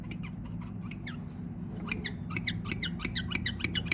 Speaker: you can see the rest you can hear the squeak and all we're going to do is just use coconut oil natural form of dw40